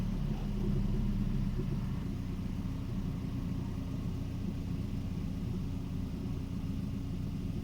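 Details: Volvo 940, stalling at stops fixed by reflowing fuel pump relay solder: steady, even low rumble with no stalling, hunting or misfire; runs cleanly after repair.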